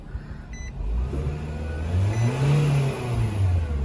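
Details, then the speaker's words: 2007-11 Nissan Versa after accelerator pedal sensor replacement for P2135 code (pedal wouldn't go past 2k rpm) and key-cycle reset: engine revs smoothly from idle through several clean revs, no hesitation; throttle response normal. "So once we hit 10 seconds, we should be able to turn it on, rev it up, and we will make sure it's working right."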